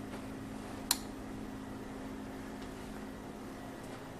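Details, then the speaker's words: LG plasma TV (50PK/PX series) with faulty power supply board EAY60968801: one sharp relay click with a few fainter ticks over a low steady hum, slight screen flash, TV won't power on; cause unconfirmed. "So, if you have a problem like this, you get a slight flash, like your TV's trying to come back on. You see it?"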